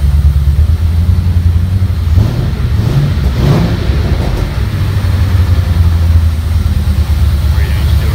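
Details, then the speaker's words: Rat rod truck with a fuel-injected 4.6-liter V8, exhaust just hooked up to MagnaFlow mufflers and intake connected temporarily, exhaust heard from the rear. A deep, smooth burble holds an even idle, then climbs cleanly on a couple of blips and settles back; healthy. "Runs fucking nice, man. Kind of hear it back there. I really like those Magnum flows. Really nice sound."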